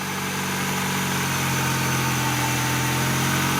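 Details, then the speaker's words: 2001 Honda CR-V after fixing a grinding starter; the previous installer had left out the second starter bolt, now fitted; it starts well and idles steadily with an even low hum and no grinding, normal idle. "So now those bolts are installed. Now it's starting good."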